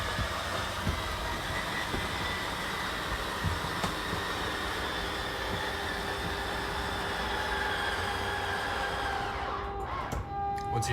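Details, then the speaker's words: Slide-out motor on a 2022 Puma 25BHFQ travel trailer, run from the power control panel on a windy day: even whirring drone holds steady, then tapers and cuts off when fully extended; normal slide-out operation. "you hear it kind of die off like that, that means you are fully extended with that."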